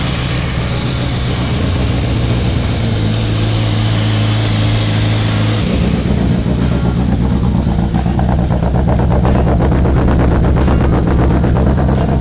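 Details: Freshly built Nissan SR engine idling just after its first start. Steady, even low rumble with no knocks or misses, settling into a fuller idle halfway through. Runs cleanly.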